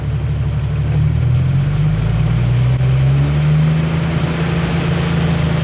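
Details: Jeep Wrangler YJ engine with newly installed hand throttle: after tightening the lever's adjustment screw, the engine holds a steady, even raised speed with a smooth low drone that neither hunts nor sags; normal raised idle.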